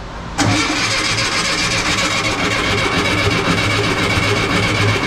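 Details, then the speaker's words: 1967 VW Bus with 1500cc engine, carbs primed with fuel: starter cranks steadily about five seconds without catching or speeding up; crank no start, later cured by changing the distributor and coil and rotating the distributor, with bad points blamed. "oh my god you guys so we ended up having to change the distributor we had to change the coil uh we had to rotate the distributor a super weird way"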